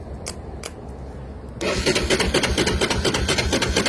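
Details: Honda FourTrax 300 ATV, water found in the oil, fuel valve off or on reserve: starter churns about two beats a second with no firing; cranks but won't start, owner suspects neutral sensor or fuel.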